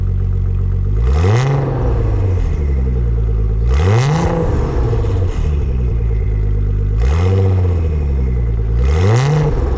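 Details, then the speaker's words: Nissan 300ZX Z32 twin-turbo convertible after restoration, cold start on a humid day; no cats or resonators, mufflers only. Repeated free revs rising smoothly and falling back to steady idle, deep and clean, no knock or rattle; normal revving exhaust note. "can't tell me that doesn't sound freaking good it doesn't have cats or resonators it's just pure Mufflers so for it being that it sounds pretty good but then again turbos are the best Muffler"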